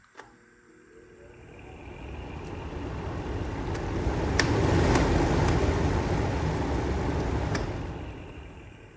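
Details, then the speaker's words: DeWalt DXF1616 16-inch drum fan on speed 1 after repair (loose wire pressed back into its contact): soft airy whoosh rising to speed, then even with no rubbing or ticking; fan fully working. "And it looks like it worked. And there you have it. To be honest, I was expecting a more complicated fix, but I'm not complaining. I have a fully working fan, so all's well that ends well."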